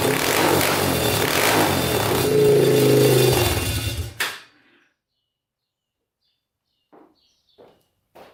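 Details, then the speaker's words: Yamaha Warrior 350 quad single, exhaust pipe removed: rough running about four seconds, then sags and dies; still bogs and stalls, so the pipe isn't the cause. "Alright, you can hear it's kind of running good, kind of not. So it was running good at first, and then it kind of like shuts off and bogs down."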